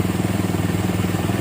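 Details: 2008 Minerva R150 SE 150cc after charging repair, with the burnt socket fixed and 14 V charging and rectifier normal (earlier: slow pull, running a bit hot). Even, steady low pulsing idle with a regular firing beat, no misses or knocks: normal idle.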